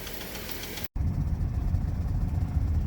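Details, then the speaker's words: Chevrolet Traverse engine, warming up after thicker oil plus Lucas oil stabilizer was added: a low, uneven thumping knock at about four beats a second through the idle. The knock persists, though it later seemed to stop briefly while driving. "oh she's still knocking on heaven's door that's for sure but i mean it moves"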